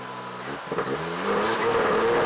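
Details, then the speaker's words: 1992 Lexus SC300 1JZ that wouldn't start, suspected spark issue; after new spark plugs and coils refitted it catches, settles into a steady idle, then revs climb cleanly and evenly with no misfire; normal running and revving. "all right guys so as you can see it worked I got it running"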